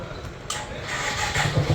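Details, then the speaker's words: Motorcycle after carburetor float pin replacement, battery low: brief cranking, then the engine catches at about one and a half seconds into a steady low putter; it starts cleanly and promptly despite the weak battery. "Battery down, তারপরেও আমাদের গাড়ি সুন্দরভাবে start নিতেছে। Float pin change করলাম।"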